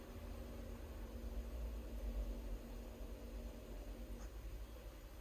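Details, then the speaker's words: AdBlue dosing pump on a 20-tonne digger during a laptop leak/pressure test: a faint steady electric buzz that cuts out after about four seconds, as the pump drops out before holding pressure despite earlier reaching 9 bar. "it's kicked itself out which is what it's doing on the pressure buildup test I have got it up to 9 bar a minute ago"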